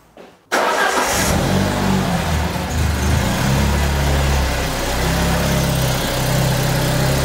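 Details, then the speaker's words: Peugeot 205 GTI engine after fixing its starting problems and reassembling everything except some covers: quick start and steady, even idle with no odd noises. "de bruit bizarre plus aucun bruit bizarre c'est bon elle tourne mais feu de Dieu là"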